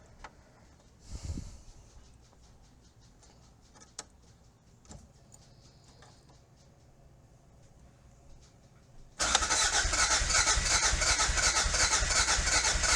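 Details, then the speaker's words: 1986 Toyota MR2 AW11 salvage-yard car, new fuel tank fitted but still not getting fuel to the engine: after quiet fiddling, several seconds of even cranking that never fires; owner suspects the injectors aren't working. "Let's see if it'll. Those injectors are not working. It's the injectors."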